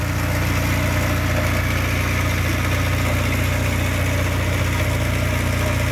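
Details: Škoda 1000 MB/1100 MB De Luxe, first start after 15 years: steady low rumble with even beat around three to four per second, runs evenly with no knocks.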